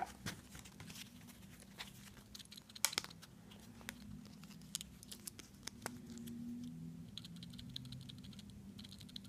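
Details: Seiko SNK809 automatic watch (7S26 movement): irregular light clicks and rattles as the watch is moved, a loose-sounding rotor knocking inside the case; rotor rattle, cause suspected, not confirmed.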